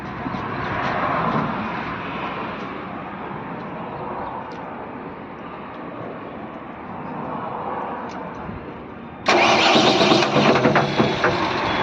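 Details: Mahindra engine with correct oil and coolant levels: a rough, fast knock at idle grows into heavy, loud banging when revved lightly, heard at the rear pulley; the mechanic suspects a broken connecting rod or failed rod bearing.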